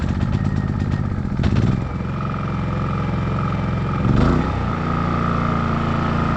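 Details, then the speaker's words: New WEN 56380i 3800-watt inverter generator on concrete, full power: steady hum with faint high whine, briefly surging then settling smoothly; healthy at full power. "so that's that's like full power i'll let that run for a few minutes or a few seconds anyway"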